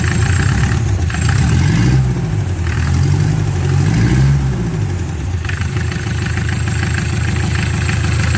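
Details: Mercedes-Benz Sprinter 308D diesel, first start after full service: fires up and settles into a steady, even low clatter with no knocks or misses; normal start and idle.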